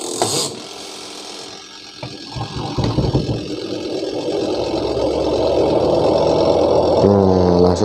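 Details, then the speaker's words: Panasonic twin-tub washing machine spin-dryer after capacitor replacement, previously slow and rumbling: motor winds up from rumble to steady even hum at full speed, no knocking or scraping; normal spin, stops when lid opens. "Oke, jadi semuanya masih berfungsi normal."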